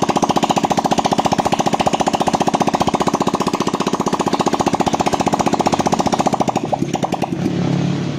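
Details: Motorcycle with no blinking check-engine light, after troubleshooting got the fuel pump working (its motor now audibly humming): steady starter cranking at about four compression beats a second, then the engine catches and runs on its own, starting normally.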